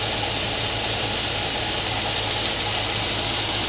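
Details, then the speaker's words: GMC 3500 454 V8 idling with valve cover off after the rocker adjustment: light even tick over the idle; one rocker is still ticking, and the owner thinks a little ticking will always be heard. "you're always going to hear a little bit of ticking so"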